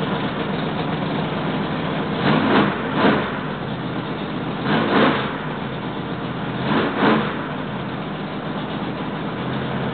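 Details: Freshly rebuilt 1968 L88 427 Chevy big-block V8 (from a '66 Chevy II), hydraulic roller cam, aluminum heads, first start-up with timing roughed in near 35°: high, even fast idle held up until tuned, with three clean throttle blips; healthy.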